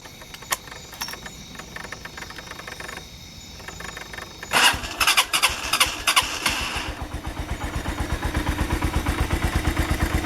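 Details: AKT TTR 200 motorcycle, brought to the shop with a lot of engine noise, for synchronization and cleaning: a few clicks, then the single fires and settles into an even, steady idle with no knocks or rattles; normal idle.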